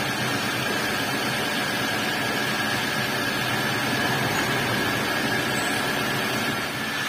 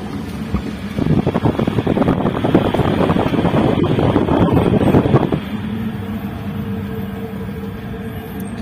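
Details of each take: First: Old Toyota Avanza after replacing the propeller shaft centre bearing and refitting the shaft, wheels spinning in gear: an even, steady drone with no rumble or growl, the roar gone and the driveline healthy. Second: Old Toyota Avanza, complaint of a roar at high speed, driving at only 20 km/h: a steady, coarse rumble under a rough roar that eases off in neutral, from a worn propeller shaft centre bearing.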